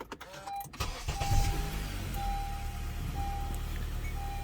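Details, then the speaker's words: Honda 2.4 Earth Dreams engine, started after a few hours off while parked in the sun, with oil topped up following earlier low-oil rattle: it cranks, catches and settles into a smooth, quiet idle with no rattle, a normal start. "nice and clean no issues no funky noises and that's with our oil levels topped off"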